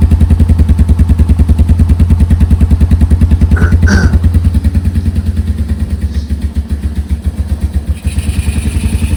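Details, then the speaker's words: 1987 Yamaha Moto 4 200 ATV, electric start, sat 10+ years, new battery, starter solenoid jumped with screwdriver; steady single-cylinder thumping at fast idle, no misses or knocks, running fine. "Everybody seems to be working. Try that again. That was pretty cool."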